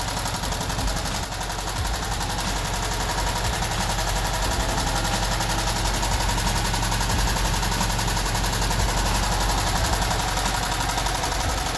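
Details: VW Type 1 air-cooled 36hp flat-four, reassembled after suspected bad bearing or rod knock turned out to be worn pushrod guides: quick even clatter about 220 beats a minute; healthy and steady.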